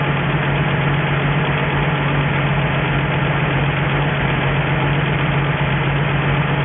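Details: 1963 Ford F350 truck, first start in about 20 years, running off an auxiliary nurse tank with a cherry bomb muffler: steady low rumble at an even idle speed, no surging, misses or knocks; normal smooth idle, coolant needs topping up.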